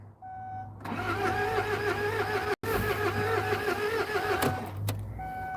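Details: Kia Sedona diesel cranking with a rhythmic wavering starter pull for several seconds but never catching; owner says compression suddenly feels soft and suspects air in the fuel line, with glow plugs to be checked next.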